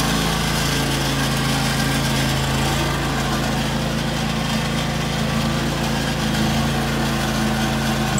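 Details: 2003 John Deere X485 garden tractor, 671 hours, 25 hp liquid-cooled Kawasaki EFI engine, recently serviced: steady fast throttle with an even hum, no knocks or misses; healthy and strong.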